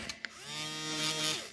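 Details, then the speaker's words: Non-working Apple Macintosh SuperDrive (Sony MPF-75W) floppy drive, mic near the eject motor: a short whir climbs to a steady high whine, then winds down. The eject motor spins normally and the main board works; the fault is suspected in the motor or its small board, and it still won't read disks. "You hear that? It attempted to do an eject. So that tells me that this board is working fine."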